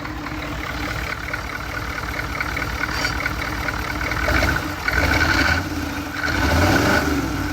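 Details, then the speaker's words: 1983 K5 Blazer with a freshly swapped 6.2 diesel, intake not yet fitted and running on a temporary fuel pump hookup: an even idle clatter with a couple of smooth rev blips that climb and settle cleanly. It runs very well. "I runs very good for what it is right now."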